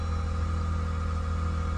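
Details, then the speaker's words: Car with 168k miles, airbag/SRS lights on, just started: steady, even low rumble with no misses, knocks or ticks, settling into a smooth idle. Normal idle. "but man look at this bro this was cool damn it sound good"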